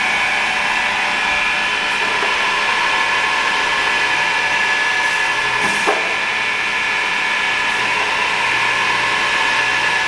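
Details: Pistorius MN-200 double miter saw, 12-inch blade, wired 230 V 3-phase, foot-pedal actuated with dual pneumatic hold downs and counter; steady high motor whine with brief clamp clicks and hisses; smooth running, no bearing issues or air leaks.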